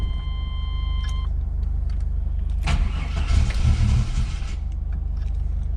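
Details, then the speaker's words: 1993 GMC Typhoon running with a rough grinding surge a few seconds in; owner says the brand-new mini starter has always sounded like it sticks, with backfiring, hard idle and rich fuel dump noted. "wish I could get it started sounds like the starter sticking to us a brand new mini shorter but it just has always sound like this one sticking since I had to put on"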